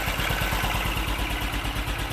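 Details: BMW Isetta single-cylinder with a little choke, started after brake and suspension work: steady low thumping idle, firing evenly about nine or ten times a second, with no knocks or misses; runs fine.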